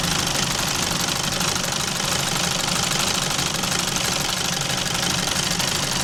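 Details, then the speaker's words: Alfa Romeo Giulietta Cloverleaf, cold start during engine flush warm-up, history of oil pressure warnings and scorched oil: fast loose metallic clatter about three a second over idle; owner suspects worn exhaust variator, not confirmed. "I wonder if that is worn past serviceability now. It kind of sounds like that. Um the way it like clatters."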